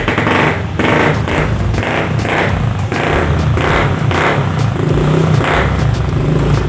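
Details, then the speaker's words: Older carbureted Honda Vario 110 scooter brought in stalled and not starting on the electric starter; started with the kick starter, it runs on steadily with a throbbing, slightly pulsing note; normal running, battery and regulator still to be checked. "bisa denger temen kita bisa sama-sama denger ya motor ini hidup tapi saya tes pakai starter kaki tadi"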